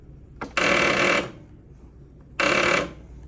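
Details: Zero-turn riding mower bought in 2018, restarted after 1.5 hours of mowing; two bursts of rapid clicking chatter when the key is turned, engine never turns over; fixed by replacing the weak battery.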